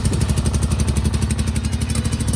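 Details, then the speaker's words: Kohler V-twin garden tractor, first start after sitting about a year, fresh fuel, jumped solenoid with 1,000 cranking-amp battery: steady, even low thump at about eleven pulses a second, no misses; normal running. "That sounds better. She's alive."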